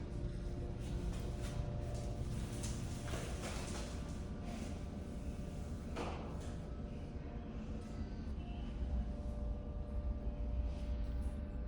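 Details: McDonald's restroom in Villa Park, Illinois, which has no elevator: steady low droning hum with faint higher tones like an elevator going up; source unclear.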